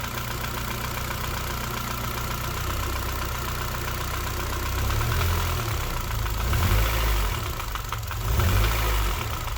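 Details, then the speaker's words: Honda K20 engine in a Civic K-swap, idling; dull uneven knock from the middle of the block, nothing at the cam cover; owner unsure, rod bearings or piston slap suspected. "sounds a bit iffy down around about here though in the middle so i'm not convinced it is the rod bearings 100 could well be pissed and slap like brock suggested because it does sound like the noise is somewhere in the middle here"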